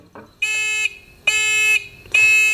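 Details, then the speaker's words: Beginner metal detector pinpointer after holes were drilled in its housing to let the sound out: three long, loud, high-pitched beeps about half a second each, clear and strong; buzzer now loud enough to hear. "I had to drill some holes in it to let the sound out. Right here. Listen to this."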